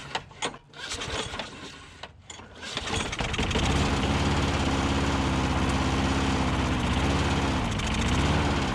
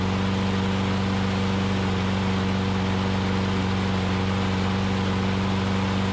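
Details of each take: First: Older Troy Bilt push mower with dry-rotted fuel lines, suspected clogged main jet in carburetor bowl bolt: a few pulls, then catches on carb spray and runs with surging speed, almost running on its own gas; fuel starvation, runs only on starting fluid. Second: Older Troy-Bilt push mower after refitting the governor spring in its correct position, with a dry-rotted, broken carburetor bowl O-ring found, primed, holds an even steady drone without hunting; runs normally; carb still due for cleaning.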